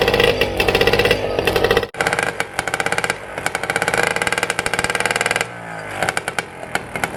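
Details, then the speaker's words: Cheap old outboard with grip shift, started after adding a little fuel and before a new spark plug is fitted: crisp rapid two-stroke crackle, revving up and settling to a steady beat; it runs cleanly. "it's alive that is awesome i have bought the cheapest outboard on facebook marketplace and it's a runner"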